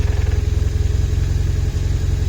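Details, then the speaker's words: BMW R1150RT motorcycle at idle: fast even rattle about fourteen a second that stops when the clutch lever is pulled and returns on release; suspected clutch disc or input shaft spline wear, needs disassembly. "вот слышно такой звук сейчас Обратите внимание нажимаю на сцепление звук пропадает видите отпускаю сцепление начинает тарабанить"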